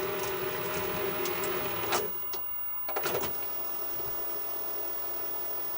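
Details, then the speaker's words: Sanyo Betacord VTC-1000 Betamax recorder, old tape, before opening it up: even whirring with light rapid ticking and a couple of clunks at mode changes. Rewind and fast forward working normally. "That seems to be working. All right, let's fast forward."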